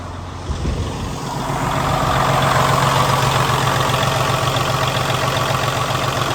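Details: 2019 Freightliner Cascadia, Detroit DD13 400hp/1750 lb-ft, automatic, idled up with oil filler cap off to show blow-by: even, steady diesel idle at raised speed, low thrum, no knocks or misses, hiss from open filler; normal.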